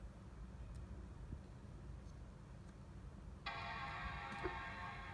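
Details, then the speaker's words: 13-inch MacBook Pro late 2013 (A1502) with replacement A1493 battery, test connected before being stuck down: a low hum, then one clear sustained startup chime at power-on; the laptop boots, battery working at 50% charge. "you hear the sound? It's working."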